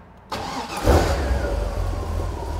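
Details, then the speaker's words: 1971 Triumph TR6 with a Chevrolet 350 V8, 5-speed, headers and electronic ignition, started cold: short starter whirr, catches cleanly, flares once and settles into a steady, even idle; a loose exhaust tip baffle rattles. "you can see it starts real good it runs really good"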